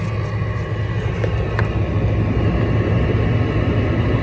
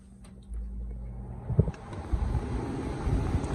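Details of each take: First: Old window air conditioner running in garage, temperature set to lowest: heavy constant low drone with rough buzzing edge, loud throughout; compressor running loud, head pressure audible. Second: 2004 Hampton Bay window air conditioner with Rotorex compressor and mechanical controls, switched on: soft click, then a low, smooth hum with light clunks; quiet, healthy compressor and fan start.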